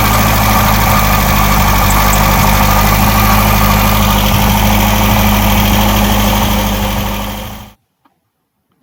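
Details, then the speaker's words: 1959 MGA 1500 idling after radiator repair: steady idle with a sharp, regular chirp about four times a second; owner suspects a rotating component, water pump later found to need attention; not confirmed. "did you hear it that time yeah that chirping sound indicates something else may need to be investigated I'm not an expert but that sound leads me to believe it is coming from a rotating component"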